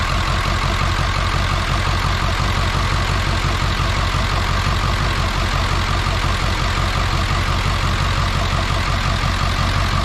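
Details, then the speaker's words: Ford 7.3 diesel parts truck with a leaking injector, glow plugs tested: loud clatter at idle with an uneven, lumpy beat about three pulses a second, rough idle with white smoke; cause not yet found. "Got a little rough idle. We're gonna have to do something about this smoke here."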